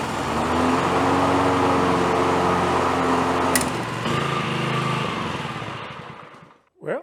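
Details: Honda HR215HXA Masters Series mower, revived after engine teardown and repair with valves checked and head refitted: small single-cylinder runs smooth and even at a steady fast beat for several seconds, then winds down; sounds healthy.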